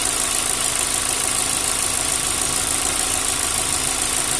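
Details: Engine at idle: a light, fast ticking rides over a hissy idle with no change in revs. Noisy hydraulic lifters.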